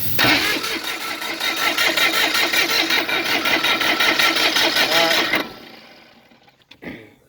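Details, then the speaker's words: Bobcat 453 skid steer diesel that won't start after being tilted while clearing debris: starter drags engine slowly in labored, uneven pulses, never catches; owner suspects low battery, alternator untested, cause unconfirmed. "Sound like the battery low now. Let me see. Let me try it again."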